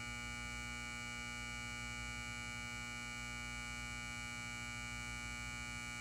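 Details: Lithonia Lighting 250W pulse-start metal halide high-bay light, LumaSuper ED28 bulb, base up, M153/O ballast, 11 months old, turned on: a loud steady hum and buzz with a strong high whine during warm-up; loud but normal ballast.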